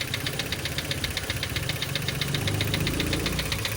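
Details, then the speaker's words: Mitsubishi Xpander idling after an oil change with oil far too thick (possibly gear oil) and a Honda filter fitted: fast, even metallic rattle about four ticks a second over the idle, timing chain rattle. "Lumabas na yung ingay. Tapos pansin ko rito, napakalapot na langis. Ang lapot ng langis na nilagay."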